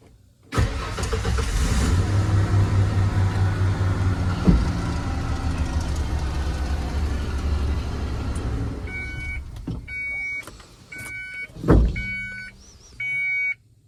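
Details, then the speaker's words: 1994 Ford F250 after cycling the clutch (owner suspects the clutch safety switch): short crank catches right away into a steady idle, then shuts off to warning chimes; a normal start. "Okay, well, whatever that is, that's the problem with the battery drainage, but this is now acting right again, so this is really easy now, like hell yeah."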